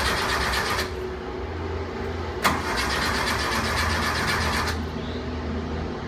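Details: 1973 Porsche 914 2.0 that has been hard starting since an oil change, valve adjustment and new spark plugs: the starter cranks steadily at about four turns a second for several seconds with no clean catch.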